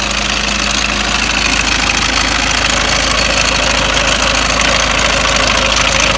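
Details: Ford Mondeo Mk5 2.0 diesel, 246,000 miles, idling with oil filler cap off: constant fast metallic clatter over rough idle; slack timing chain, tensioner nylon guides broken and worn away, chain near breaking.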